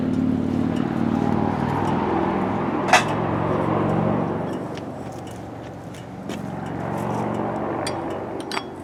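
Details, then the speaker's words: Early-1990s Craftsman GT6000 tractor, Kohler Magnum 18HP, after carburetor cleaning and rebuild, fuel now reaching filter after starting fluid: steady even thrum, no knocks or hunting, smooth consistent speed; running much better. "it's running now oh my goodness that sounds so much better yeah that's amazing my goodness that sounds so nice"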